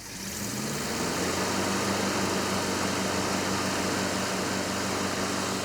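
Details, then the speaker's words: Ranger truck V8 with the coil on a ballast resistor: it fires up and settles into a smooth, even idle with a steady low rumble and no misses; running normally, with good oil pressure. "Ah, it's so nice to hear it running great again right now."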